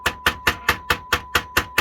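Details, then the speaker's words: Technics amplifier after resoldering suspected dry joint at amplifier module and redoing heatsink compound: steady high test tone holds while case is tapped about four times a second; earlier cutting in and out gone. "cutting in and out, doing all kinds of weird stuff, and now it isn't. So I think we got lucky."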